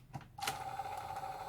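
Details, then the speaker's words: Sanyo VTC-H5 (VCR-7300) portable Beta Hi-Fi VCR during repair, tested before refitting the case: a click as the cassette seats, then a smooth, even motor whir as the tape loads; the tape mechanism works normally. "Vậy là dàng cơ đã hoạt động đúng rồi"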